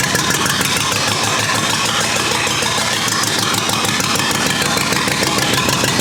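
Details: Rebuilt U23 engine, first start after 25 years, choke up, idle mixture screw about two turns out: uneven, loping idle with a stumbling beat that never settles; carburetor not supplying enough fuel at idle.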